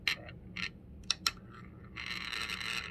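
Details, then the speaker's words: Vintage ILG Electric 10-P Volume Blower motor on low-voltage AC: light buzzy chatter as steel is held near the good run winding (leads 1-3), showing magnetic field; open winding half (leads 2-4) gives nothing. "hear that chatter that's the magnetic field on the side notice it's only on the half that has a good winding but if i go to the other half there's nothing over here"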